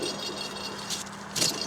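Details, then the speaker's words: Alternator removed from a 1974 MGB abandoned for 30 years, spun by hand: it gives a dry, light rattle and gritty rustle as it coasts; the bearings are worn but judged serviceable enough to reuse. "Well, I've heard better bearings, but I think we'll get away with it."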